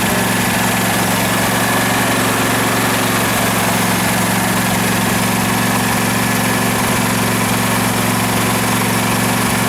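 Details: 2012 Husqvarna riding mower that survived a flood, run before any carburetor cleaning: a steady low V-twin idle hum with constant tone and no knocking or stumbling, a normal smooth idle.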